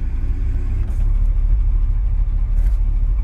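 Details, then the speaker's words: 1980s Chevy K30 dually 4x4 dump truck at idle, brakes applied hard; hydraulic brake booster runs off power steering pump, which loads and bogs the engine; deep idle sags briefly then steadies; brake pedal feels wrong; engine bogging under booster load. "you know this braking system is all new to me it's a hydraulic booster a hydraulic brake booster which is ran off the power steering pump and when I apply the brakes I could hear that power steering pump bog down the motor"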